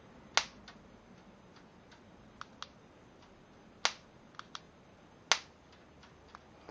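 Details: Harbor Freight free-coupon insect zapper running on two D batteries, unmodified unit: sharp crisp snaps every second or so over near silence, the grid arcing cleanly; normal sparking.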